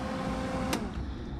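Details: Wire feed motor of a Lincoln Electric Weld Pack 3200HD running with wire fed through a newly fitted YesWelder 100A K530 MIG gun, tips removed: a light, even hum with one click partway through. The feed motor is turning normally.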